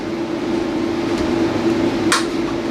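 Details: Repaired Anern 6.2 kW hybrid inverter (was shorted at the battery terminals, arc damage), 48 V battery, running a 9,000 BTU air conditioner, load stepped to about 2,640 W: steady mid hum with no buzzing or cutout.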